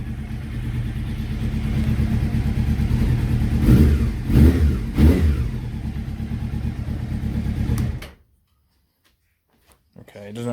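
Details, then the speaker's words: Honda CBR600F at idle right after first start following rebuild: uneven, lumpy running with irregular stumbling under throttle blips, like some cylinders missing. Exhausts of cylinders 3 and 4 much hotter than 1 and 2. Ignition and carburettors being checked; misfire. "almost like it was missing on a few cylinders"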